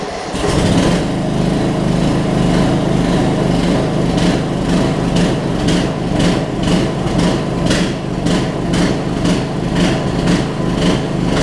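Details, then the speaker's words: Murray riding mower, almost 20 years old, after new gas tank install, started on a jump box/battery: catches within a second, then a steady, even single-cylinder run with no misses or knocks; normal running. "We got a running mower that I've been sitting on for about 2 months. Can't beat that, y'all."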